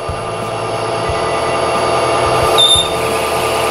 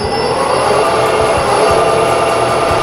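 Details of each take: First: Metal lathe running out of back gear while parting off stock for an air blow-gun nozzle: steady hum with a faint high whine that eases once the lead screw is disengaged. The lathe runs smooth and quieter. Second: Metal lathe running with a steady high gear whine over the motor hum while cutting off an air blow gun nozzle part; the whine comes from the engaged lead screw, and disengaging it makes it quieter with less wear.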